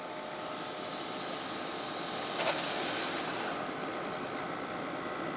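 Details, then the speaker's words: 1990 Sony BVU-950 3/4" U-matic VTR after belt replacement and gear lubrication; even whirring of tape spooling at speed with one brief click, rewinding smoothly: normal rewind. "If I go to fast forward, it works just fine. And if I do rewind"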